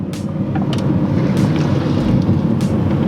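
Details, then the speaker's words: Rebuilt crashed Audi R8 on first test drive after two months' rebuild: sharp irregular clunks, about four in three seconds, over road and engine rumble on bumps, like a bag of bolts; loose part suspected, wheel bearing believed shot, not confirmed. "okay whenever we go over a bump it like sounds like a bag of bolts"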